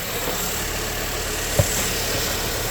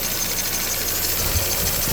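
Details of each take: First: Barn-find Mini, sat over a year, idling after spray applied onto the belt pulleys: squeal instantly improved, even steady idle with one brief click; engine reached temperature unusually quickly, within three or four minutes. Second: Barn-find Mini, sat over a year, started on a new battery, idling around 1000 rpm: even idle with a faint thin high-pitched belt squeal; otherwise no abnormal noises, new belt considered.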